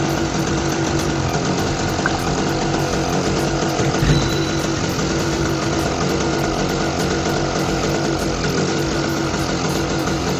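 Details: Small Target generator that refused to start, now idling after a little fuel was poured into the carburetor opening with the choke left open; steady, even single-cylinder chugging at constant idle, no misses or knocks.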